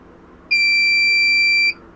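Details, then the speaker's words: CP Plus DVR at first-time setup with hard disk fitted but not yet formatted: single steady high-pitched beep lasting about a second; no-disk warning. "ये जो beep की आवाज आ रही है यह no disc होने के वजह से ही आ रही है।"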